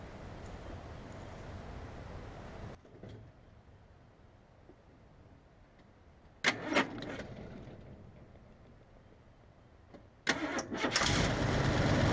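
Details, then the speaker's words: 1971 Wagoneer with AMC 360 V8, right after a PerTronix electronic ignition conversion replaced the points: it fires promptly with a low rumble, then runs evenly. Normal start and idle; owner may still adjust timing. "it's tighten that negative term row up on the battery will try to fire it up and see what happens hopefully she'll run"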